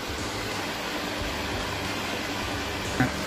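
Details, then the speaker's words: Table fan with a humming problem, after its coil was repaired: a steady, even rush of strong air with no hum, buzz or rattle; the fan runs smoothly and normally. "तो दोस्तों हम लोग का fan repairing हो गया, देखिए कितना खूबसूरत हवा दे रहा है, पूरा जोर जोर से हवा दे रहा है, देखिए।"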